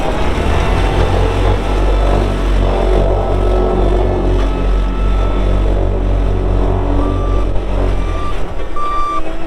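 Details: 2018 Dynapac CC5200 double drum vibratory roller, 135 hp Cummins diesel, 6,764 hours: deep steady diesel rumble with drum vibration underneath and a clean repeating backup beeper; running normally.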